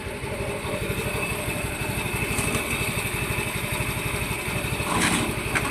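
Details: A Yamaha Mio i 125 scooter, after repair of a knock from running dry of oil, is started with the pulley fitted and holds a quick, even idle putter with no knock. It runs clean, though a slightly bent clutch housing drags the wheel.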